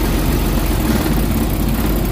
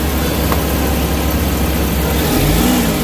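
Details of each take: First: Suzuki Big Eye DA64/DA52W engine at idle with the AC on: deep, uneven, lumpy rumble, hiccuping and losing power, nearly shutting off. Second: Suzuki Big Eye DA64/DA52W minivan, after an electrical repair for engine vibration and shut-off at idle with AC on: engine blips up and settles back several times with the aircon on, each rev clean, no hunting or stalling.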